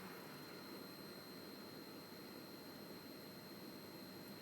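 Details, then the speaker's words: Powerful graphics card during Darksiders gameplay running about 4,000 frames per second uncapped: thin, steady high-pitched coil whine over soft fan hiss; fix is capping the frame rate to about 120 fps. "and it is caused by a high frames per second which is a 4,000 frame per second okay"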